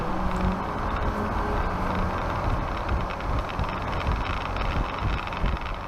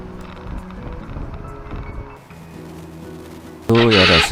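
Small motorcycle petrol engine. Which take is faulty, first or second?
second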